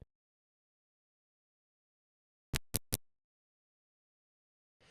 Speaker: That's three clicks for incoming brush two: 0, 1, 2, stop! And we hear another [thhip] sound as the sequence switch moves from position number two to position three, ready now for brush trip, which we don't hear.